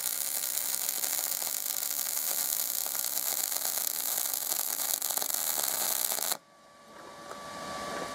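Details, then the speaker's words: MIG welding with a Binzel-style gun after replacing the liner, same settings, machine and wire: an even, continuous frying crackle for about six seconds with no pops; the arc is stable and the wire feeds smoothly despite a big gap and poor fit-up. "besides that that was a very big gift and a really poor fit up the machine didn't miss a beat it wasn't a liner issue this time"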